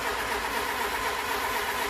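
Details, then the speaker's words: Renault LeCar with points ignition, cranking with starting fluid sprayed in: steady starter cranking that never catches or fires. Battery confirmed good; no spark, as current is not passing through the points, so the points are bad. "I got the ignition on we're not getting any Spark It's got points I can see my screwdriver sparking but it's not sparking where should be"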